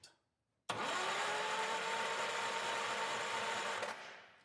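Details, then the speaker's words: 1976 Power King tractor, old engine: smooth, even starter whir for about three seconds with no firing. Cranks but no spark; the coil has power, and the owner suspects the dirty points need cleaning and setting. "All right, so we got a no spark. Uh I guess we'll check see if we got power to the coil, but it might just be the points need to be set."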